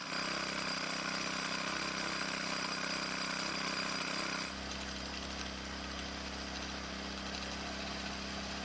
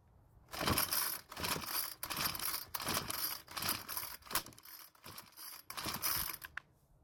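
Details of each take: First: 4-cycle string trimmer (model 41EDT57C966) after replacing a soft plastic part so the flap seals: steady clean buzz at high speed, drops to even idle, picks up again; runs properly after slight idle speed adjustment. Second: 4-cycle string trimmer (model 41EDT57C966), choked after carb and fuel filter work: repeated raspy pull-cord strokes about once a second, never fires; suspected air leak past deformed soft plastic around choke flap stopping the choke working.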